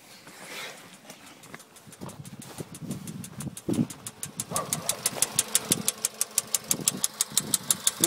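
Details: Late-2013 VW Polo Sedan, 1.6 CFNA, about 28,500 km, warm engine: a sharp, regular knock at about three per second over the idle; it appeared 75 km after a warranty piston replacement and has persisted for 834 km, cause unknown.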